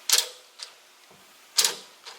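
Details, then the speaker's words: Nissan 350Z trunk latch actuator that failed after drifting: sharp double clicks about 1.5 seconds apart, but the latch won't lock and pops back open. One of the actuator gears is stuck open. "you can hear that something it's obviously clicking you can hear it want to click but as far as locking now"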